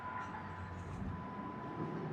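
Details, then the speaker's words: 2012 Jeep Patriot after fuel pump replacement, first start: fires right up into quiet even idle, no misses or knocks, no fuel leaks, fuel pressure 60 PSI against 58 spec. "fires right up"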